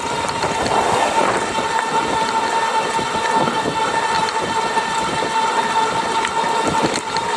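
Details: GoCruiser electric drive between 670 and 725 watts: a steady motor whine near 900 Hz with a fast, dry rattle chattering over it throughout.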